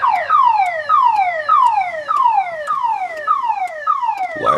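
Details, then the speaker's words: 2000 Chevrolet Impala that won't start, key fobs not working, radio dead, security light flashing: shrill chirp falling in pitch, repeating about every two-thirds of a second; alarm keeps going off unprompted, cause unknown. "The alarm goes off every time I turn around."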